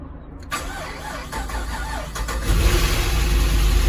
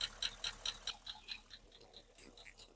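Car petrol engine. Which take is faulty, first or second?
second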